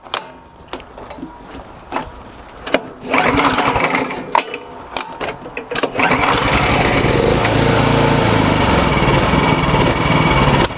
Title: Will SEAFOAM Fix This Surging Snowblower? The Result Was Not What I Expected!